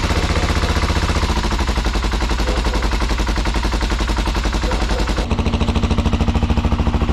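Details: BMW F650 (Rotax 652cc single) running after its carburettor was rebuilt and refitted; heavy loping thump, stumbling and pulsing unevenly; owner says it runs extremely rich and is unsure of the air screw setting.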